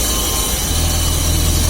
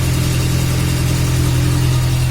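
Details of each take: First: VAZ classic (2101-2107) running on a lift, wheels turning: steady low droning hum from a worn rear axle shaft bearing, easily mistaken for differential hum; bearing to be replaced. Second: VAZ classic (2101-2107) raised on stand, after adding grease to the axle shaft bearing, brake drum removed: steady even low hum at rear hub with no rattle or knock; previous rattling gone, bearing sounds healthy.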